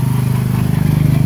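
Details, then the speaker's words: Engine clunking on a 1970 Sears Suburban tractor with a 16hp Tecumseh OH160 single-cylinder, just got running: fast steady thumping with a loose knocking edge as the engine moves; owner suspects worn-out rubber engine mounts. "yeah it sure seems loose sounds loose hear it clunking in there probably those rubber mounts are probably shot cuz I don't think it's supposed to move quite that much"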